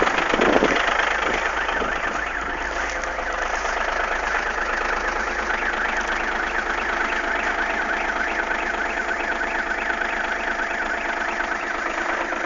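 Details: Audi A6 V6 TDI 110 kW diesel idling with a steady clatter and an uneven light ticking on top; strange engine noise at idle, cause unexplained.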